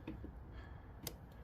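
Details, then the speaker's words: Craftsman T1600 mower with stale-smelling fuel being diagnosed: in a quiet spot, a single crisp click as the key is switched and the fuel shutoff solenoid plunger moves. Solenoid working normally. "I hear it clicking let's see if you guys can hear it click as well it goes up it unplug plunges right now it's stopping the fuel did you hear that"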